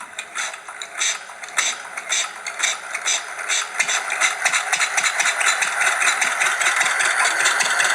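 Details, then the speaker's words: Old single-cylinder stationary engine started by hand crank, mixture control wheel turned clockwise to normal after starting: slow steady chuff firing evenly on each power stroke; normal running. "As soon as the engine starts, turn the mixture control wheel clockwise to the normal setting, and then you'll hear it. This is exactly how it sounds. So it's got it on the power stroke."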